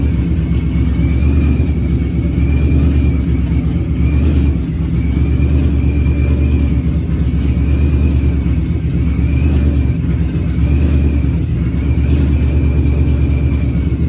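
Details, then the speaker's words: Procharged Ford Coyote V8, first fire-up running on the external fuel pump because the in-tank pump isn't working: deep, steady V8 rumble with a smooth, even beat and gentle rev changes. Runs well. "okay well it seems like it's running good"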